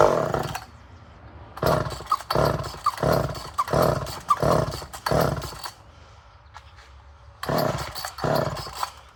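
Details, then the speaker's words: Poulan 1800 Wood Shark two-stroke chainsaw with strong compression, at half choke while the carb is adjusted: it catches and revs in short bursts with brief drop-outs between them; it fires and runs. "So we had it running. So we'll know she'll run."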